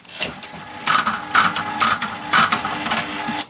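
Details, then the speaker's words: 1979 Aristocrat Esprit 4-reel mechanical slot machine, corner arm sweeping after a game: bursts of clattering clicks and whirring, then settling quietly; normal reset ready for next game. "You see that? That's how it works, ready for the next game, basically. That's how this thing works."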